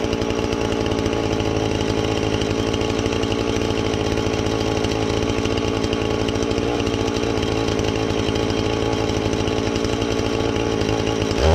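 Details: Husqvarna 450 X-Torq chainsaw that wouldn't run, new chain and bar fitted, started to check and adjust the carb (special adjusting tool bought): smooth, even high speed throughout, briefly picking up at the end; normal running.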